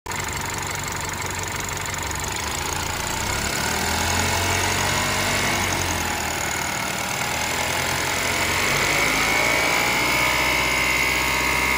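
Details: BMW 328ix engine running steadily with a fast, fairly even light ticking about four per second over a bright hissy top end; source of the noise undetermined.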